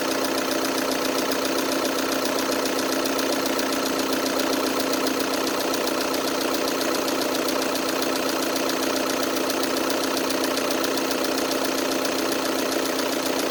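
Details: 2012 VW Tiguan 2.0 TDI 140 hp at idle: steady diesel idle with an even, quick tick about three or four per second; source not pinned down, owner asks whether others' engines make the same noise.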